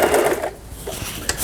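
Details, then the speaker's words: Elna 318 sewing machine after repair of its pattern/zigzag mechanism unit, which before gave straight stitch only; all functions now work: quick, even stitching chatter at a steady pace with no knocks or grinding, despite its shaky plastic body; running normally. "각종 기능들 정상적으로 작동되고 있는 엘라 재봉틀 수리를 마치고 318이라는 기계 수리를 마치고 박음질하는 영상이었습니다."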